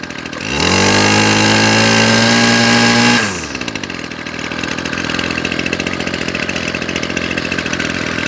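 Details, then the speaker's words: Ryobi Grass Scorpion RCT-2800 line trimmer after new fuel lines and primer bulb, carburettor jets not yet cleaned, on choke with fresh petrol: it fires and revs with a high, steady buzz, then settles to an even idle with no misses. "and it idles beautifully well there we go it does take a bit to get the fresh fuel through a Carby without cleaning the cabby out"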